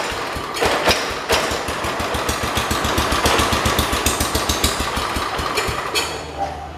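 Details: John Deere 212 donor garden tractor, fuel possibly old or watered: starter cranks with uneven chugging about three and a half beats a second but never runs; carburetor checked next. Cause suspected, not confirmed.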